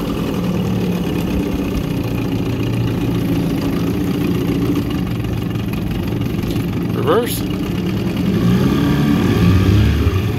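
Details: 1984 Evinrude 6 hp two-stroke outboard under load on the lake, after a crankshaft spline repair using a machined hex-socket drive: a steady buzz over water and wind noise, with no stumbling or knocking. Running healthy, 14 mph.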